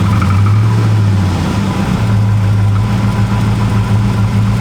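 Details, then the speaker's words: Chevy Avalanche V8 bought non-running, with clogged cats, burned wiring and old possibly varnished fuel, started on almost no gas: low, uneven, loping idle whose beats sag until it nearly dies. Rough idle close to stalling, cause unconfirmed. "almost no gas it's okay let's just start it right up man see doesn't sound great though we wanted to die there"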